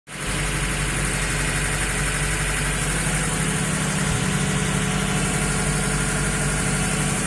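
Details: VAZ 2106 that burns oil: rough, heavy idle with an uneven tapping underneath, about four a second; engine knock, source not pinned down.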